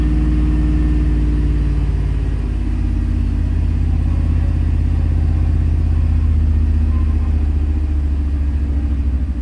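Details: 2001 truck with 5.3 LS V8 running poorly: deep, loud idle with an uneven, lumpy beat about every third of a second, consistent with a cylinder misfire.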